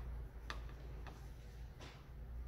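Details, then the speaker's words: Momentum bike, seat tilt adjustment with the clamp nuts loosened: three sharp clicks as the seat tilts. These are the clamp teeth stepping over each other, which is normal. "you can hear it clicking that's because there's teeth in here now you can see the teeth here"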